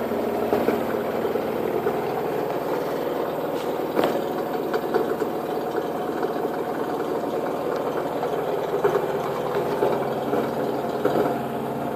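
A washer-dryer on spin gives a steady, engine-like rumble with a rhythmic pulse and vibration.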